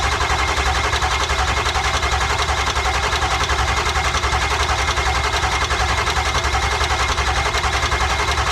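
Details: Ford F250 7.3 Powerstroke diesel after a failed injector replacement, key on, glowed, on jump box: steady starter churn, about three compressions a second, no firing; cranks but won't light, suspected cranking too slow.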